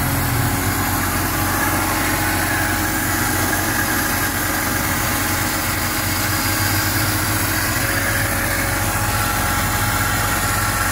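A steady thin squeal sits over an even idle and never changes; a squeal at idle with no cause pinned down yet.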